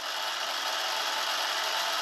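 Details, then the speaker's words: H-1 Pro Series Ace R450 electric scooter, rear disc brake: steady, even scraping hiss with no motor noise while the wheel turns, changing as the brake is applied. Rotor rubbing; caliper suspected out of adjustment. Brake rotor rub. "And the noise is there. Hit the brake all the way, stop it. Sometimes it goes away. But also if you listen to it as I hit the brake, the sound changes a little. So I think the caliper is out of adjustment."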